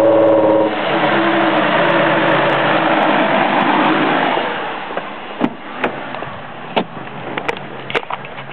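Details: 2002 Ford Escape: two failed coil-on-plug ignition coils misfired, unburned fuel clogged the catalytic converters; revving gives a hoarse, choked, restricted exhaust rush.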